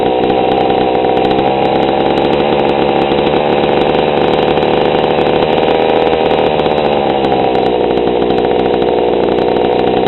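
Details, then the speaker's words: GoPed GSR40 two-stroke with 603 carb and TGN manifold, low needle at 1¼ turns out on the bench: an even, buzzy idle holds a steady pitch without hunting or dying. Idle speed is about right, below clutch engagement, giving a normal idle. "that is a one and a/4 turns on the low side that seems to be where it wants to run"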